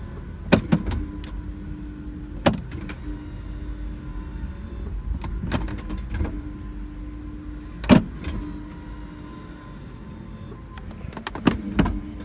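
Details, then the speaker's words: 2004 BMW E46 330Ci SMG/SSG gearbox hydraulic pump running with ignition on while bleeding after fluid work, after being stuck in first; steady electric whir in short runs between clicks, even and smooth, building pressure normally. "but now we're going to try it with the ignition I hear it going that's good"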